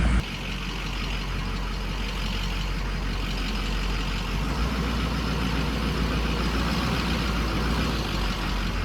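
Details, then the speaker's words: 2006 Ford 6.0 Powerstroke diesel after injector install, warm after test drive, ICP reading ~80: steady clatter at idle with slightly uneven, lumpy beat, no clear miss; rough idle, owner suspects ICP sensor. "See, I'm not really hearing a miss, [Music] but I am hearing a just a funky little idle."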